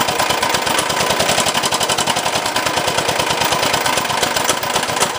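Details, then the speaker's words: 389cc 13 hp engine newly fitted to an off-road kart, run after oil was added: hard, rapid, steady knocking. Owner thinks the connecting rod broke off the piston; teardown planned. "Now when I go the other way, I think the rod broke off from the piston."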